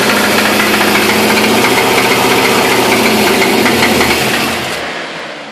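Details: LS1 V8 running with a loud, steady knock of roughly four per second over the engine note, a suspected internal engine knock; not confirmed.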